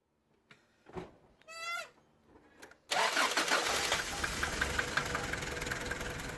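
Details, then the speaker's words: 1993 Toyota pickup 22RE after replacing the idle air control valve, whose coolant passage was plugged, to fix a surging idle: the engine catches and settles into a steady, even idle, now set low by the idle speed screw and needing adjustment. "and you could notice there's definitely a big difference in the idle it's definitely a lot lower than when we started and that being because I met you with idle speed screw"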